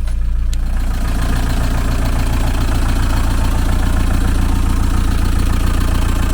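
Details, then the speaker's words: VW T3 camper with AHU TDI diesel, first start after replacing blown turbo with used unit, sat for months; slight exhaust smoke. Even, steady diesel idle with no turbo whistle, whine or rattle; normal idle. "everything's looking all right here make sure there's no pills of oil up here and underneath a bit of smoke off the exhaust but it hasn't run in a long time now to be honest with you"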